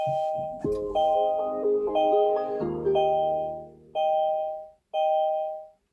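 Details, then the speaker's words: Kia e-Niro power-on: a clean chime plays a short sequence of bright repeated dings that ring out and fade; this is the normal but annoying startup greeting. "Why does it have to ding, ding? Why at least doesn't just go like ding, it's on, ding, it's off."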